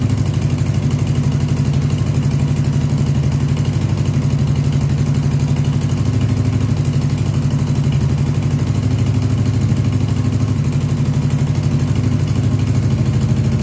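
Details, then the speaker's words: 1982 Honda GL1100 Goldwing Aspencade, sat 3 years, first start on choke: low uneven lumpy running, one cylinder dropping in and out, running on three of four before dying; cause unconfirmed. "Um, you could hear it's like not running on all four cylinders and then one kind of kicks in and it runs a little better and then it died out."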